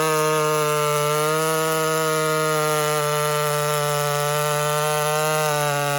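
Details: Walker-ported 850 chainsaw, 32-inch bar, hand-filed chain with rakers lowered, running rich: steady high-pitched two-stroke scream at full throttle through the cut, no bogging or surging; cutting normally.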